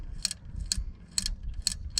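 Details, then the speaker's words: Fan clutch hub from a 2007 Freightliner Columbia with a Detroit Series 60, in the free position and spun by hand: dry, uneven ticks and grinding clicks about twice a second. The hub's ball bearing is completely shot and needs replacing. "the bearing is completely shot inside there that's what you're hearing low ball bearings"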